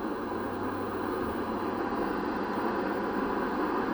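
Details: 1960 Sylvania Dualette tube TV powered up on a variac at 85 volts, 115 watts, B+ near 250 V, filter capacitor reforming, tubes warming: steady speaker hiss with no tone or hum, static while warming up; electrolytic capacitors still bad.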